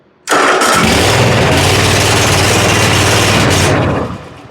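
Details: John Deere zero-turn mower (233 hours) after fixing corroded fuses, the safety switch and a bad ignition switch, brake on: cranks once, catches right away, runs evenly, then shuts off cleanly; normal start.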